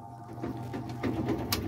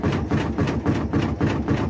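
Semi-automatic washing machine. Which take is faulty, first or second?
second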